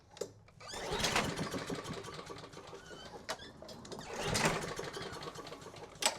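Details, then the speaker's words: Craftsman mower Honda engine with spark, carb cleaner sprayed into intake: two quick recoil pulls whir it over with no firing or catch. Won't start; compression test later shows zero compression. "Well, we got spark and fire. I wonder why it's not popping off for me."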